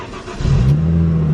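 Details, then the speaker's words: Rare VR6 sports car with dual-clutch transmission, bought from salvage auction, repaired and newly tuned. Cold start: it catches quickly and settles into a steady, even idle with no knocks, misses or rattles; normal cold start. "cold start with a new tune you haven't heard it with new tune dude it's it's pretty good I'm not gonna lie"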